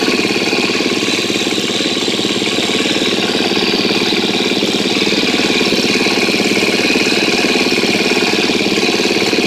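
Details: 2013 KTM 250 EXC-F after valve clearance check and Dirt Tricks cam chain tensioner install, first start: steady, even idle with no ticking or rattle, then a smooth throttle blip near the end; engine runs healthy so far.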